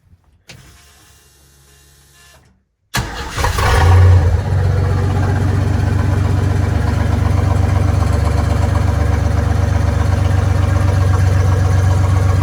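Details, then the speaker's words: Willys Jeep CJ5 with swapped Chevy 4.3L V6 after timing adjustment to about 4° BTDC: fires after a short crank, flares, then settles into a deep, even, smooth idle; runs much better. A tab is suspected of rubbing the bottom pulley. "I'll fire it up you can see how much R how much better it runs"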